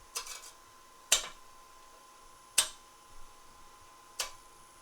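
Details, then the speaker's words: Spindle turning on a wood lathe with a skew chisel and the tool rest set too low: the tip contacts the work while only the heel rests, giving sharp sudden cracks over faint lathe hum; a deliberate catch, preventable by raising the tool rest. "so here we go i'll create a catch get ready it's going to make a bit of a bang so that tip comes in contact"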